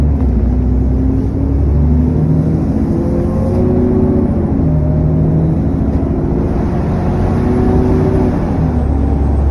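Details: SN61 DDE E210, driving on a dead run: steady low drone with whirring cooling fan thrash and a faint high turbo whine riding over it.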